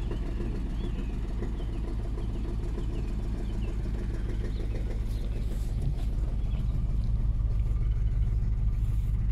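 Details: Range Rover P38 4.6 V8: deep rumbling run with a dull knock about twice a second, plus power loss, misfire and oil turning charcoal within months. Owner suspects big end bearings or piston ring failure; unconfirmed.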